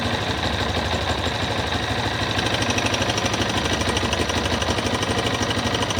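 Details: Yamaha XTZ 250 Lander motorcycle engine making a strange noise, owner asking what it is; single-cylinder idle with an even tapping near three per second riding over the exhaust beat, cause not yet known.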